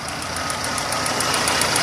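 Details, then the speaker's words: Renault on LPG before injector swap: crisp fast ticking, about seven clicks a second, over the running engine from the 3-ohm LPG gas injectors. Not faulty but noisy, like valve tick; to be replaced with 2-ohm injectors. LPG injector ticking. "buradan gözüküyor artık kendi son enjektör var biraz sıkıntılı çalışma sorunu var arkadaşlar arızalı değil Enjektörler ama biraz sessiz çalışıyor yani subap sesi gibi bir ses"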